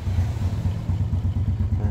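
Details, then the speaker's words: Honda Karisma/Supra 125 single-cylinder, freshly reassembled after a power upgrade (valve-to-piston contact checked), Shogun SP exhaust: first start gives a steady, even low thumping idle with no knocks or rattles, smooth and normal. "Nah, ini sudah menyala ya, normal saja. Suaranya halus, normal saja."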